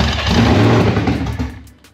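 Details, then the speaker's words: Supercharged Gen 3 swapped 1979 Fox body pace car with 10R80, first start with no tune: loud, ragged rev that sags and dies within about two seconds. "damn it's loud not too shabby I didn't know if it' run that long"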